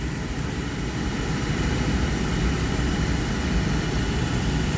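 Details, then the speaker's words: Thermo Pride Spirit series 80% oil-fired furnace, blower starting 15–30 seconds after light-off: smooth, even low burner rumble with steady fan, no rattles or squeals. Normal blower and burner operation. "and about 15 20 30 seconds the fan will kick on listen for the [Music] fan any second now a f should kick in there we go there goes the"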